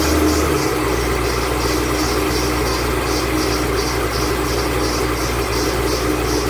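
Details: 2008 Bullitt Mustang, 8-rib serpentine belt, running the morning after sitting overnight in the garage, under 30 miles driven: a high chirp pulses three to four times a second, a slipping belt squealing.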